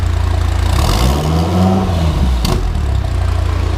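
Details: 2016 Dodge Viper twin-turbo V10 after the turbo build: deep, even burble with a smooth rev rise and fall and no knocks or rattles. Normal idle and revving.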